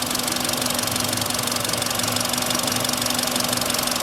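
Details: Hot idling petrol engine, 58,559 km, sharp even ticking knock about three a second; lifters checked firm, cause found as cylinder 1 spark plug with loose cracked insulator leaking compression, likely overtightened, fitted about 20,000 km ago.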